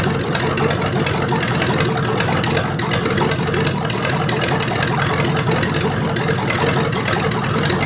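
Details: Rebuilt '73 Canadian truck 350 Chevy V8 (new piston and rod, big cam, fuelie heads) on stand, no fan, warming up: steady fairly even idle, low rumble while distributor is turned; ignition timing was way off, being corrected.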